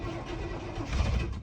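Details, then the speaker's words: 1989 GMC Suburban V1500 4x4, sat on a ranch since 2006, first start attempt with gauges dead: brief rough cranking fires weakly on sprayed starting fluid, with no fuel pump hum. No-start from fuel delivery failure; runs only on starting fluid. "I didn't hear a fuel pump which is actually probably a good thing just so it doesn't suck up fuel okay Moment of Truth oh my God it runs pretty fuel inefficient but how about that"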